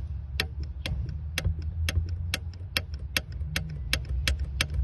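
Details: VW Golf 4 (MK4) brake pedal clicking, sharp bright clicks about twice a second over low idle, began after brake fluid change from excessive pedal pressure; brake booster return spring mismatched with central cylinder pusher, leaving a gap at the spring ring.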